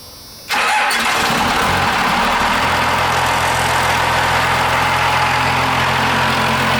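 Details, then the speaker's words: 12-valve Cummins diesel swapped into a Dodge B3500 Ram van, on temporary 2x4 motor mounts: catches instantly and settles into a steady, even idle clatter with no stumbles; sounds good, though not charging. "Motor sounds good. Pretty cool to hear a noise like that come out of a big, ugly van."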